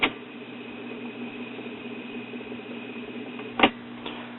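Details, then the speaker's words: 1970 Imperial tube record player: steady whirring drone with thin high whine only at 45 rpm, from the capstan's 45 step; fixed by rearranging washers (three below, one above). "all right motors on 78 45 that sounded a little noisy doesn't it 33 16. good torque so why are we noisy on 45"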